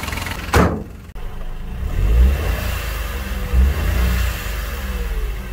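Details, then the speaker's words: Vauxhall Corsa three-cylinder engine that runs intermittently on two or three cylinders and needs its top end replaced: lumpy, uneven revving, beat stumbling at idle and under throttle. Misfire. "all of the tyres are actually very good as you can hear the engine doesn't sound great"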